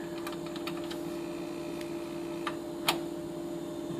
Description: LG refrigerator sometimes was extra loud and buzzing/rattling. It was simply a vibrating retainer clip on one of the compressor mount posts.